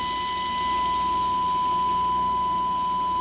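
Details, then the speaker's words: 1947 Rogers chairside radio during electronic restoration and alignment, tuned for the deepest tone with least static: steady pure tone near a thousand cycles, little hiss, stable level; correctly aligned, clean tone. "there is the deepest tone. And that's right on."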